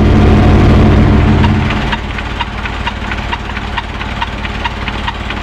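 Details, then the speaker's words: Diesel engine driving a PPC 45 rice-husk mill, started back up after checking for water leaking at the cylinder head gasket: revs drop after a loud start, then settle into an even thump about 220 a minute; normal, clean running. "nanti mesin ini akan kita hidupkan dan mulai beroperasi kembali ya guys. Ini adalah penggilingan sekam dengan PPC 45."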